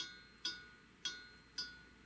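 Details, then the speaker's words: Primus Classic Trail Stove (model 2243) just turned off after a one-litre boil test: four sharp, bright metallic pings in a quiet room, normal cooling pings as the hot stove metal contracts. "pinging that's the the sound of hot metal that little stove gets hot that ain't no joke"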